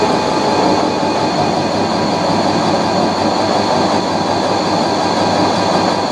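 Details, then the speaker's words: Fisher & Paykel washer fast spin under heavy, off-balance load after repair of a squeaking suspension rod: steady rushing hum, no squeak or rub; suspension quiet, fix appears successful. "this is a pretty heavy load it's pretty off balance and i don't hear the suspension rod so that's a good sign that's a very good sign i think i might have fixed it"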